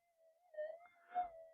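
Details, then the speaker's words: Minelab GPX 5000 metal detector after component upgrades to reduce noise, at gain 20 with cancel coil in mono mode; soft steady hum with slight swells; normal quiet threshold. "see if you can do that yourself with a cancel coil and not cancel mode cancel Coil In Mono oh it's actually quieter"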